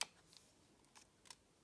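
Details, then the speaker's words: Nikon Z 24-70 lens showing lens error, bench test with board, mount and focus group: sharp click at power-on then faint irregular ticks; focus group noise only when zoomed, cracked flex cables suspected. "我们把主板、卡口和对焦组装好，开机来测试一下。有异响，说明问题就在对焦组"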